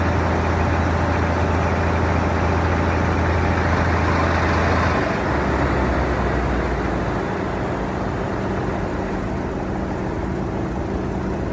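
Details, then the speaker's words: 1973 Mack FR700 (FR711) with 250C diesel and quad box, after priming fuel to bleed air; low steady diesel rumble settles into an even beat with a loud air compressor chugging alongside; the engine has caught and runs. "Finally, a little bit of success. It's good."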